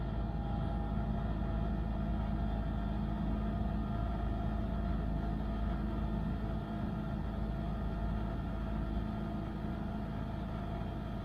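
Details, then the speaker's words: Trane XV90 furnace after inducer fan motor replacement: steady even low hum with smooth whoosh, no rattle, scrape or wobble; burner lit, much quieter than before, inducer and burner running normally. "Wow, much quieter. It just lit. And we're running."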